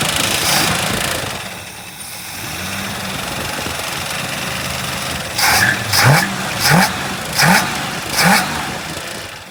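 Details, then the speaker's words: 1965 Mustang coupe V8 after a carburetor rebuild, no longer flooding over, fan touching the shroud: settles into an even idle, then five quick throttle blips rise and fall cleanly with no bogging. Runs well. "So let's let it run and see. Yeah. Because right now we're not flooding over like we were before."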